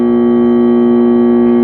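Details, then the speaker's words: Condura air conditioner switched on: steady electrical hum from the motor or compressor with nothing spinning up; the capacitor is checked first as the likely failure. "Umuong lang siya. Ayan nagha-haming."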